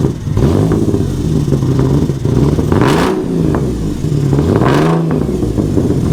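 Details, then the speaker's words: Ford Sport Trac after electrical repair, restarted after ignition adjustments: engine blips up twice and falls back with a lumpy, stumbling beat at low rpm, smoother at higher rpm; suspected running gas-heavy, rough running. "i wonder if it like got a little gas heavy or something huh it's because i played with the ignition cool sounds like it was running better once you got it up in the rpms it stopped running like crap"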